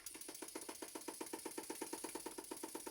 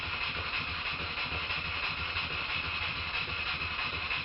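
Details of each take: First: Stuart Models No. 10V model steam engine on air test after valve timing set: loud sharp knock about seven times a second in step with rotation, like a pneumatic drill; flywheel found loose on the crankshaft. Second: Stuart Models No. 10V model steam engine, previously a non-runner, after repair with slight crankshaft end float considered common and not a problem; a quiet, steady air hiss with even light chuffing about three beats a second, running smoothly.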